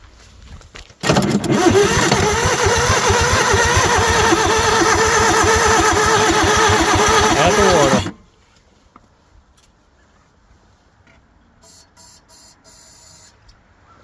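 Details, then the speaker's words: Bobcat 743 skid steer diesel: steady cranking at about three turns a second for seven seconds with no firing; it won't start, and the owners think water is in the cylinders and want starting fluid. "Them pistons are full of water. Mm-hmm. She ain't hitting, Clay. No. We need to start fluid."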